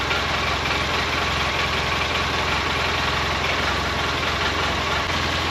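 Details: 2012 Polaris Ranger 800 six-seater, revived with new parts, just after first start. Steady, even twin idle with faint, quick metallic rattle over it; owner unsure, suspects play in the clutches. Rattle at idle.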